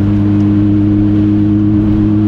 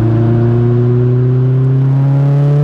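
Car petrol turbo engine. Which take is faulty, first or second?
first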